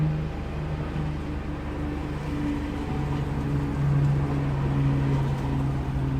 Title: misfires